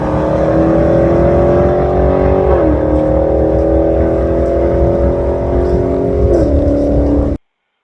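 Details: 1980 Trans Am with turbocharged 6.0 swap at the dragstrip: engine screams at high revs, holding flat pitch then flaring instead of pulling down after the shift; automatic slipping in second gear, sprag broken during the burnout; fuel pressure issues also.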